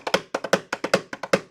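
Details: Mechanical watch movement overbanking: fast, uneven ticking in doubled and tripled clusters instead of a clean tick-tock. Caused by an overly strong mainspring; the fix is a thinner mainspring.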